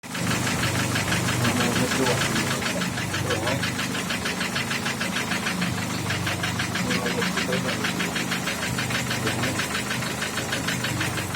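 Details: Opel Ascona with a 1.6 engine block fitted with 1.8 pistons: a steady light tapping at about three knocks per second over an uneven idle. The knock is inside the engine and its cause is not yet pinned down.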